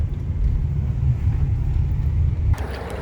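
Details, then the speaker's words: 2006 Toyota Tundra SR5 4.7L V8, about 240,000 miles, warm idle after a test drive: low steady rumble, the earlier belt squeak now gone; belt seemed to need warming up and still needs replacing eventually. Normal idle. "Hey, after driving it, the squeak is gone. It's still running right now."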